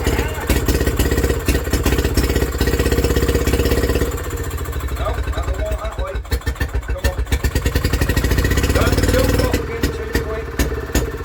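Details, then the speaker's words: Villiers WX11 single-cylinder engine, first start after carb work, never previously run by owner, crankcase flooded with raw fuel burning off rich: firing about three beats a second, surging and sagging unevenly; hunting at idle, top carb adjustment planned. "and that hunting don't like it. So I think we've got to adjust that on the top until that runs like this with that straight up."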